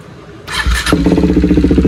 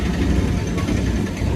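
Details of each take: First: KTM Duke 390 at idle with exhaust leaking air at the header pipe joint, before welding: steady idle with a sharp, even puffing tick about three per second over the thump; exhaust leak at header pipe joint. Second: KTM Duke 390 after welding the exhaust leak: steady low single-cylinder burble with an even beat and no puffing or ticking; healthy, sealed idle.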